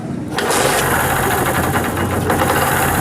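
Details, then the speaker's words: Honda CD70 single-cylinder engine at idle after retiming (loose chain had caused timing to slip, noise and starting trouble): fires up, quick steady patter, no top-end rattle; normal idle. "अभी देखें bike का engine जो है बिल्कुल smooth चल रहा है और कोई किसी किस्म का इसमें मसला नजर नहीं आ रहा है"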